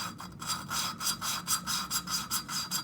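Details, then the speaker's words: Honda ATC 200X cylinder head rebuild, hand-lapping a valve into its seat with compound, engine not running: steady gritty rasping strokes, a little over two per second. The sound turns finer as the compound grinds down. "then that way you can feel when the compound is uh getting ground down and you can hear it you can hear it getting finer"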